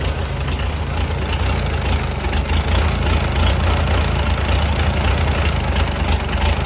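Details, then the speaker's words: Farmall BN tractor, first runs after magneto and kill-switch wiring, not yet warmed up: low, thumping idle with a slightly uneven beat while magneto timing is being turned to smooth it out. "so i'm going to turn just a little bit more and then crank it and then see if i can move it smooth it out i might let it warm up before i actually do too much adjustment i'm going to get it where it'll sort of idle"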